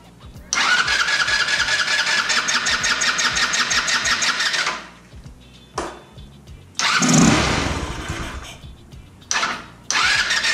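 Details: 150cc GY6 scooter after fitting a new ignition coil: buzzes unevenly, dies, sputters back briefly and cuts out again; won't idle; owner then suspects valve adjustment, cause not confirmed.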